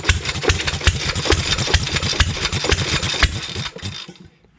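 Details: 100-year-old Stover Duro 1/2 HP upright air-cooled hit-and-miss stationary engine, freshly rebuilt with good compression, starting on the second pull for its first run in about 50 years; loud uneven chuffing beats over clatter, fading as it coasts down; not yet adjusted.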